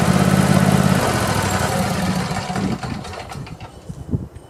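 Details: Craftsman YT4000 lawn tractor with a twin engine, after sitting in a barn for years, holds a smooth, even idle with a steady low pulse, then shuts down cleanly with a few clunks. The engine sounds healthy, but the deck vibrates when engaged.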